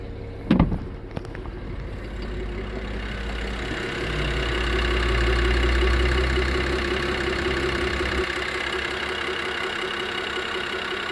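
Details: BMW E92 330i N53B30 petrol engine: heavy low drone and humming with faint uneven rattle, appeared with power loss at low rpm while driving, no codes, injectors, coils and HPFP already replaced; owner suspects DISA, not confirmed.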